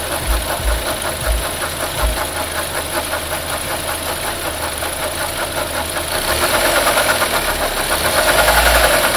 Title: Knocking sound coming from engine